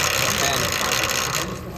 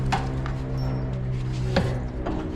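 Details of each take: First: Yamaha Tenere 700: dry hissy rubbing chatter as the chain rubs on the OEM chain roller, persisting despite greasing; chain rubbing on chain roller. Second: Yamaha Tenere 700 after removing the OEM chain roller that rubbed and chattered: steady low engine drone with no chain chatter; noise gone, confirming the roller as cause; normal chain drive running.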